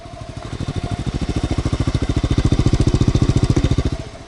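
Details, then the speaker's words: Never-ridden, low-mile 1986 Honda Z50R, not ridden in 30 years: small single-cylinder engine idles at a steady, even putter, smooth and clean, with no noise other than normal engine sounds. "No noise. No noise from the motor other than the noises it's supposed to make."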